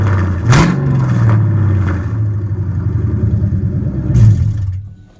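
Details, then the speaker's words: 1999–2004 Mustang GT V8 just fitted with headers and X-pipe, cat-back not yet installed: two quick throttle blips over a deep, even V8 rumble before shutdown, no knocks; normal, healthy exhaust note. "That's a 99 to 04 Mustang GT header install with the X pipe. It sounds pretty good."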